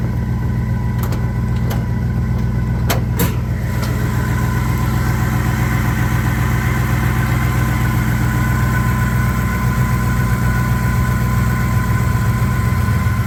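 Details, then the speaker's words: 1961 Buick Skylark engine, first startup after work to fix oiling problems and other issues; a few clicks, then a smooth, steady low idle with an even beat and no knocks or misses, running very well. "So, I was extremely excited last weekend when I was able to fire this thing up and it actually ran very, very well after all the work that we put into this engine to resolve some oiling problems and other little things that were going on."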